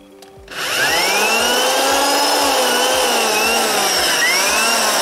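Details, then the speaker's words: Corded drill (max 500 W) running unloaded from the 220 V output of a homemade 12 V-fed adjustable 0–220 V inverter; spins up quickly to a steady whining hum with even pitch and faint wobble; runs normally. "Gayet güzel çalıştı. Tekrar çalıştırayım."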